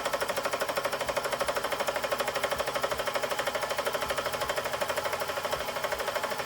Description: 2:15 Customer States "I started my car up this morning and now it sounds like a helicopter"